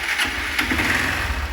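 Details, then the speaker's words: Honda Start 160 motorcycle, hard to start and won't hold idle. Small single revving lightly with a rapping knock that rises with throttle; suspected piston skirt slap, with valve noise also possible. "é só quando acelera um pouco parece o site que estão que tá batendo"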